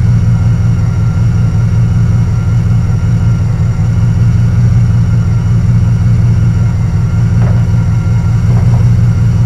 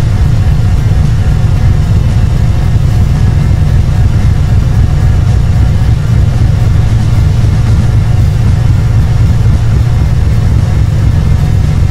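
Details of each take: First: Carbureted Camaro Z28 V8 with a stalling history, after a distributor swap and radiator repair, timing set to about 6.5: an even burble with a smooth, steady rhythm and no misses. It idles cleanly. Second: Chevrolet Camaro Z28 V8 with a stalling issue, first start in 2–3 months after a new distributor and radiator (timing spec 6° at 700 rpm): loud, deep, lumpy, unsettled idle with timing a bit off, likely not advanced enough. Rough idle.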